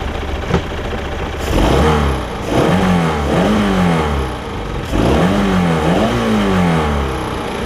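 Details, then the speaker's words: Mercruiser 3.0 Stingray boat on new fuel pump and carburetor, after refitting the rusted throttle collar that made the throttle stick: idles about 800 rpm with clean, smooth rev blips. Normal idle and rev. "oh yeah no runs good the um the throttle was getting stuck because there was a collar in here and that collar was rusting"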